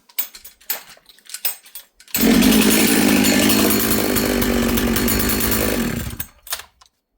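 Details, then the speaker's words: Husqvarna 66 chainsaw after assembly, bench run in shop, low jet tuned: crisp steady high rev about four seconds, no surging or stumbling; healthy, no leaks, good tight saw. "I would put this thing in the bush right now. Um, from all the way rich to all the way lean on the low jet, uh, 3/4 of a turn."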